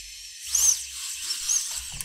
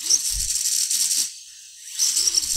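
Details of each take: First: FPV drone brushless motors, no props, after changing the D-term setting in tuning software: short, clean high-pitched whirs rising and falling smoothly with throttle, no yaw twitch or stutter; normal motor run. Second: FPV quad motors powered with no props, ESCs and motors heating up, motors stuttering and twitching felt in hand; high crackling buzz in irregular bursts with gaps instead of a smooth whine, yaw twitch/motor stutter fault.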